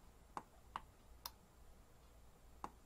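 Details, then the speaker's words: Sonoff smart Wi-Fi on/off switch relay, switched manually with its on-board button, driving an LED panel; a few crisp single clicks in a quiet room, one per press, evenly sharp; relay switching cleanly, normal. "again you can actually hear the relay clicking as well when I'm doing this and you can see the LED panel turning on and off in the background"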